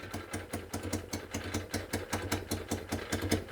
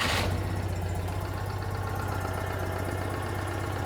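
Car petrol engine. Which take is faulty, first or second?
first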